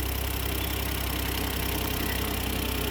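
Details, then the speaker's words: 2008 Smart Car running its first minute or so right after an oil change (just under a quart added): a smooth, even idle with a steady low thrum and no ticking or knocking. The engine sounds healthy. "All right, we started her up, running it. Let it run for a minute or so."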